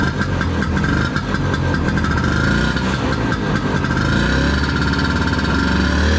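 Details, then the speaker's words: 1972 Elan snowmobile, 250 single-cylinder engine, after restoration; choppy, even single-cylinder popping at a steady low beat with a few light blips, a little smoky; runs smoothly and sounds healthy. "start it up let it run it's gonna be a little smoky those single cylinders just have their own sound sounds pretty cool"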